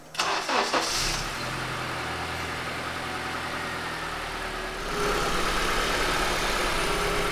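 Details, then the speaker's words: Honda CR with 225,000 miles (360,000 km), after head gasket replacement fixed the problem: cranks and starts at once, settles into a smooth, even idle with steady hum, no knocks or misses; purrs like a kitten. "it's been up and running out for a test drive and it purrs like a kitten the head gasket was the problem"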